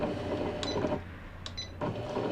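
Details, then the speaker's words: Janome Flare 810 computer sewing machine, Taiwan-built, about 20 years old, after repair of a detached lower crank, hook timing adjustment and reverse-button repair: even motor whir and needle chatter, clean stop and smooth restart, normal running. "움직임이 정상 작동되고 후진 버튼 수리가 잘 되었습니다."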